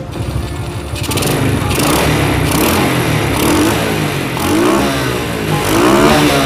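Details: Motorcycle after repairing a spark plug that had no spark: the engine catches and runs smoothly, throttle blips rising and falling cleanly. It is a healthy start and rev.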